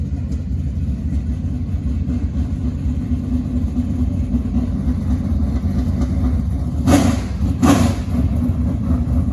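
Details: Barn-rescued 1967 Chevy Nova project V8 (described as a little 604) at completion: deep, even burble at idle, then two quick clean throttle blips rising and settling without misses or knocks; normal idle and revving.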